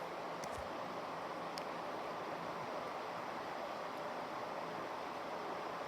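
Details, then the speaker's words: 1980s 36-inch SMC Laguna ceiling fan on high: steady, even rush of air, no ticking, rubbing or thump; slight wobble on high that partly balances out; runs smoothly and fast. "This is a very very good fan. You can see does actually kind of wobble a little bit on high. And as you can hear, it flies, which is not uncommon uncommon at all."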